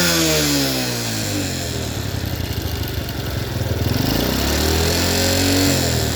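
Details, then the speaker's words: Yamaha Jupiter Burhan fitted with a Honda Grand carburetor in place of the original, air screw set to 3.5 turns and idling: revs rise smoothly from a lumpy idle and drop back cleanly without stumbling. "tetapi ini motor sudah bisa langsam. Angin-anginannya kita setel 3,5 saja. Oke, kita coba kita pasang ya teman-teman. Ini kita gas."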